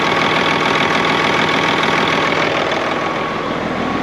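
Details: Freightliner FLD diesel truck started right up after sitting (spider webs everywhere). Steady, even diesel idle clatter with no misses or knocks. Normal idle.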